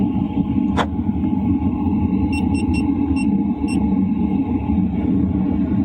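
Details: LF Bros diesel heater switched up to 2.5 kW, heard inside a tent around 11 p.m.; noise about the same as at 2 kW: steady airy fan roar with low hum, no knocks or rattles; normal running.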